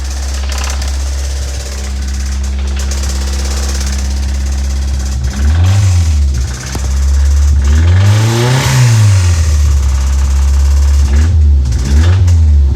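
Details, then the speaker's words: 1988 Toyota MR2 AW11 engine started: revs rise and fall over an irregular knocking and ticking underneath; something badly wrong inside, cause unclear. "There's a lot of bad noises going on. I I don't think it's supposed to sound like that. Yeah, that sounds pretty bad."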